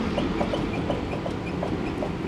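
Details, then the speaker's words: Front wheel rocked by hand, lug nuts still tight: quick squeaky clunks from a badly worn, loose wheel bearing. The noise first appeared before Christmas and came and went. "is a wheel bearing that is absolutely destroyed. Told you, when I wear something out, I really wear it out."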